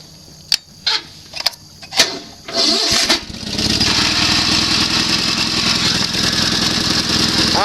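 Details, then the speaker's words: Sears SS16 with an Onan twin after work: push-button start, ignition toggle, Craftsman voltage regulator, fuel pump on the tank with old gas. Cranking bursts, then a low, steady, even idle. It smokes slightly, and the owner says it may need rings. "nice and low it would idle lower if i turn the idle speed down a little bit"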